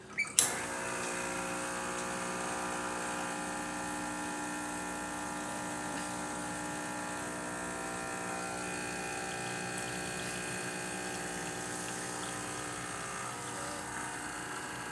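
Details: Expobar espresso machine after a completed full service and tune-up, final test shot: steady, even vibratory pump buzz at constant pitch with no stumbles or surging, reaching the right pressure with crema; normal vibratory pump operation.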